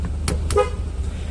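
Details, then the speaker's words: 1997 Land Rover after clock spring replacement: a short, clear horn toot over the idling engine, horn now working and SRS airbag light off; anti-lock light still on though brakes seem okay. "But the brakes seem to be okay. I'm not sure why that light is on, but this is great. I got my horn working,"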